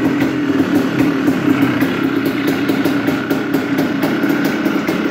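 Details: 1996 Yamaha Blaster two-stroke on startup with the choke on: raspy idle with sharp, regular raps about three to four a second. The engine lacks power and the owner suspects piston slap or a ruined piston. Engine knock at idle.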